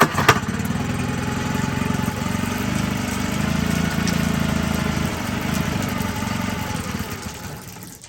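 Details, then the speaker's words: Cold-blooded outboard that has sat for a while: it catches, runs rough and lumpy for a few seconds, then dies, even with the idle raised; it ran fine the night before. "it was running yesterday last night but if it sits for a little while that's what it does you'll just repeat that you start it up and run for a second and we'll stop that's even with the idle up a little bit"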